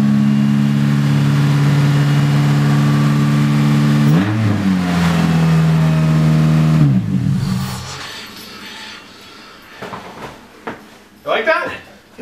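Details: Swapped Honda K24 engine on an open header with no exhaust, wheels off the ground: steady fast idle, blips and settles, pulls clean and even with no knock, slight rattle winding down; normal revving.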